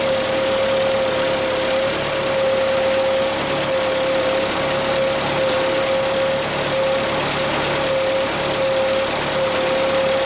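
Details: Bobcat 632 engine rebuilt with new piston and rings to fix blow-by: even, steady idle with a constant hum throughout and no tapping, puffing or irregular beats; the engine sounds healthy.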